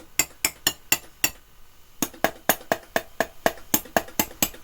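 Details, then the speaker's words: Sharp VC5M6E multi-standard VHS recorder with no audio output: sharp glassy clicks about four per second, pausing then resuming; intermittent fault, suspected break in the board or bad solder joints, possibly under a shielding can, not confirmed. "The TV is clicking. So, somewhere, I think we have either a break in the panel or uh bad joints again."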